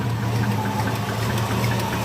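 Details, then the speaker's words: Squarebody Chevy V8 at idle after valve covers off and valves adjusted (zeroed, no preload): dull metallic clank ticking at engine speed; owner suspects a wrist pin, possibly leaky exhaust gaskets at the collectors. "Just one thing I want to show you. You hear that clank? [Music] [Applause] I think that's a wrist pin."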